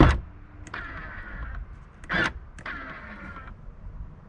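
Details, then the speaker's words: Audi Q7 left third-row electric folding seat: short electric motor whirs start and stop twice while the actuator runs, but the seat seems to release only on one side and does not fold down; failed fold mechanism. "you can hear it actuating but it seems like it's just releasing on this one side and uh it's not actually going down"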